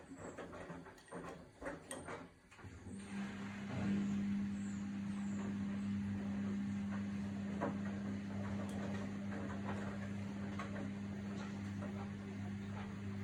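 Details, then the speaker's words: Samsung WW80TA046AX/EU 8 kg washing machine with a 7-item load: handling clatter, then a loud steady drone with low buzzing; owner reports wobbling, squeaking and metal running across the drum; cause not confirmed. "So it made all the wobbling noises, it made all the squeaking noises, it made like the metal running across the drum as it goes."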